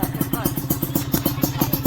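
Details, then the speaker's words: Customer's RR150 two-stroke built up by the shop, exhaust review at idle: quiet, even putter at about eight pulses a second with no knocks or rattles; engine running healthy and quiet. "Kalau ikutkan motor ni bunyi dia memang senyap lah. Kalau owner dia dapat memang puas hati lah."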